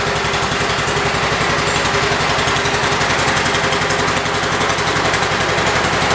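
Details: 1978 Kohler K341 single-cylinder engine on a 316K after rebuild with new rings, first run: steady, even beat at constant speed with no knocks or misses; running healthy.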